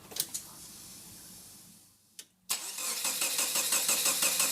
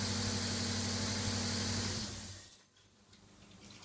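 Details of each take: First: Subaru EA82T turbo on Megasquirt MS3x, cranked with the coil and injector relay fuses pulled as a test: steady starter cranking at about three even beats a second, never fires; crank, no start, with no fuel or spark, as intended. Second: Subaru EA82T turbo flat-four on Megasquirt MS3x, after new fused ignition and injection relays are wired in: steady, even beat of about four pulses a second for two seconds, then fading off, no misfire or knock; normal idle.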